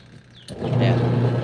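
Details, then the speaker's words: 14-year-old LG washing machine after repair and wash timer replacement: quiet, then motor kicks in with steady low hum as tub turns and reverses smoothly; normal wash motor agitation. "So yun, okay na siya, umiikot na kung naririnig ninyo, bumabalik na siya."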